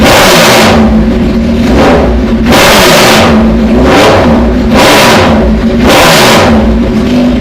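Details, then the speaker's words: Motorcycle with fairings off after routine maintenance: four quick throttle blips rise sharply and drop cleanly back to a lumpy, loping idle, revving freely and snappier than before; normal idle and revving. "But to me, it sounds a little bit better. I'll fire the bike up. You'll hear a little bit more lope in it. It revs up a little bit snappier, and I'll shut off and go from there."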